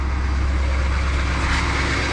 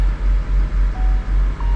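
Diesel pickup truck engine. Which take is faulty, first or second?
second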